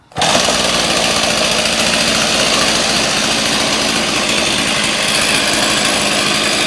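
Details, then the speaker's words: Stihl 026 Pro chainsaw, warm restart after new intake boot, impulse line, fuel line, filter and muffler, carb at factory settings: fires quickly into a steady high-pitched fast idle without misses. Running normally, though compression is lower than claimed. "see there it fires up seems to be running pretty well factory settings for right now"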